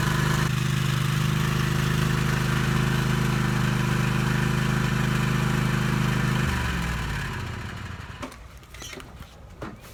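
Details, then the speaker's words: Cub Cadet riding mower with 27 HP Kohler, needed only a battery, deck belt and oil change, engine untouched: smooth, even idle for about six seconds with no misses, then winds down and stops; healthy engine. "but to the engine didn't have to do anything, and it runs, did an oil change in it, and it's ready to go."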